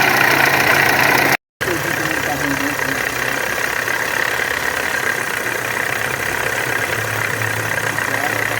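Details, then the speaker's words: VW Amarok turbo diesel at idle before repair: hard, uneven clatter with knocks about four times a second; camshaft pulley and high-pressure injection pump timing were out of position, with coolant leaking from the water pump. "ô galera aqui na maroka ela tava fora do ponto a polia de do comando aqui eu tive que colocar depois não deu certo nem a da bomba de alta também tava fora"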